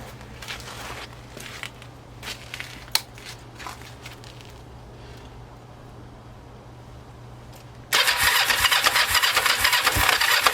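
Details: Kawasaki Ninja 500 in the cold after an oil change, third start attempt, idle earlier about 4000 rpm with choke off and since lowered: weak, uneven cranking with clicks, then suddenly catches and runs loud; hard starting.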